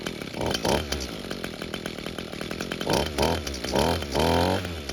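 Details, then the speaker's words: Echo string trimmer two-stroke with new air filter, restarted hot: fires quickly, settles into a steady buzzing run with clean throttle blips; normal hot restart and running. "Well, that was very unexpected. I wasn't sure if this carb was going to work, and I also didn't expect this machine to work as well as it does."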